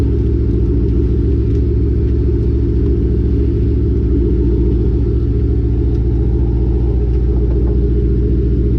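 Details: Lowered car (rear coilovers) with Borla catback: after wrapping the over-axle pipe with header wrap and fitting new bolts, steady low road and exhaust rumble from under the car while driving, with no clanks or bangs against the axle.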